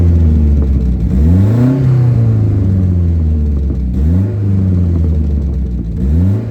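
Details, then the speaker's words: Saab 900 Turbo, warm, after new spark plugs, distributor rebuild and ignition timing set: clean strong pulls rising and falling with crisp burbles on lift-off; no misfire, slightly more boost, sounds healthier. "the engine itself just sounds a friend I think a bit better it sounds healthier now that the timing is as it should be and it's not misfiring"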